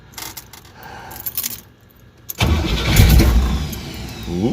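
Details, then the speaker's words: Rebuilt starter newly installed on a Chevy Nova with a 350 small-block V8, replacing one that was getting heat soaked: a few clicks, then quick, even, strong cranking and the V8 fires; normal starter cranking. "okay let's start it up try out the starter all right look at that hurst ain't playing around all right so okay electric fans all right let's see how she cranks over"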